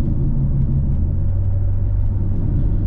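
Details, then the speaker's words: 2005 Pontiac GTO at road speed: steady deep roar, no rhythm or engine note, that goes quiet when turning left, pointing to a worn wheel bearing; owner hopes it's not the right side (left bearing already replaced). "that's the wheel bearing see if I go left right if I turn left it gets quiet"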